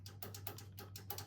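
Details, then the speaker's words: Keystone Alpine 379MB fifth wheel upper-deck Norco electric cable slide system: rapid sharp dry relay clicks over a low hum on the command system, but no motor effort; slide does not move. "But for whatever reason, like I can hear the relays clicking on the command system,"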